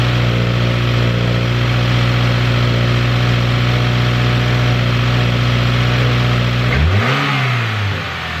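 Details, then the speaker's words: 2015+ Subaru WRX turbo flat-four just fitted with a new Mishimoto intake, new spark plugs and an oil change: a steady, even idle with a smooth rise and fall on a quick blip; normal idle and rev. "Car sounds great. Everything sounds like it was basically up to par."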